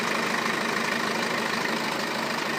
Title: BMW F10 520d Timing chain noise